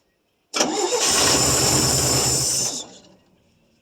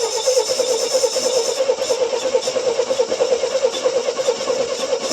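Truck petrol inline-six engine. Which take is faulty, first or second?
second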